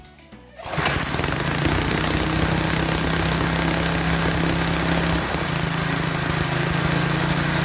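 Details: Lawn edger with 3.5 HP Tecumseh engine after a pinholed primer bulb was replaced: catches within a second and settles into a steady, even drone at constant pitch; runs healthy.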